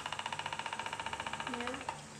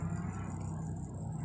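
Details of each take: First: Household oscillating electric fan before repair: fast, even knocking about fifteen per second from inside while running, then fading; something jammed inside. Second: Household oscillating electric fan after repair of worn oscillation gear teeth: soft, steady motor hum with no clicking or knocking; runs smoothly and quietly.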